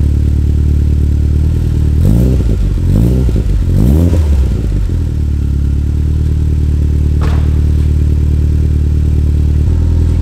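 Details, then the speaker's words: Gen 6 Toyota Celica GT-Four on its new GT Four Play exhaust, old cat removed, starting and idling with three quick throttle blips; deep, even burble, revs rise and settle cleanly: normal start and idle. "but that's got a good note to it"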